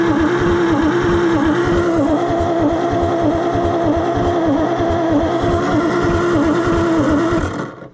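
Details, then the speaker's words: Salvage-yard Oliver Super 77 gas tractor with ignition timing only guessed: even starter whine with chugs about four per second that never fire, so it cranks but won't start. Stuck valves were found afterward. "Okay, I don't know why I'm surprised, but you know, it's definitely got stuck valves also"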